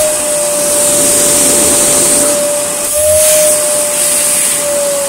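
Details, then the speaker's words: Refurbished Hoover Sonix vacuum cleaner with a taped cracked hose end, switched to full power: steady high-pitched motor whine with rushing airflow, even and strong; runs normally, noticeably better than its lowest setting. "The AG flatline have more power than that on its lowest setting. Full power is quite a lot better."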